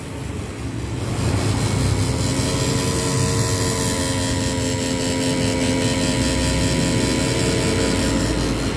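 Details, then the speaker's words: Yamaha Nmax ABS scooter with the engine off: steady electrical hum like a droning mosquito from a shorted, badly failed ABS module that stays powered; earlier the bike dropped speed at 60 km/h. "Nah itu kalau denger itu ada suara dengung suara dengung itu adalah suara modul ABS ini mode absnya udah konslet ini udah rusak heror errornya udah parah"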